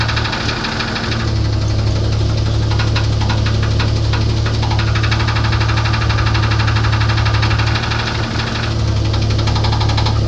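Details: 1994 Grand with 4.0 L engine: steady low idle with a repetitive knock about four per second over the engine note; engine knock, cause not pinned down.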